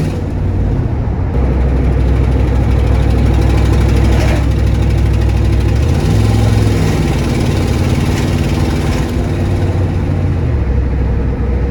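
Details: 1994 Ford F-250 7.3 IDI diesel, revived after sitting for years, before test drive: loud clatter at steady idle with raspy puffing exhaust tick following firing; leaking exhaust manifold.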